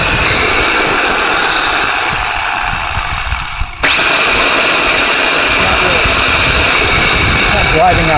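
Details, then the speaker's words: 1996 Ford Ranger starter with a bad solenoid, power jumped manually to the solenoid: a loud, steady high whir that cuts out and resumes with no cranking beat, because the solenoid doesn't pull the drive all the way out to engage the flywheel. "now if either one of those doesn't work right it'll do this now before this was just spinning in the vehicle without driving out at all but now it seems to be driving a little bit"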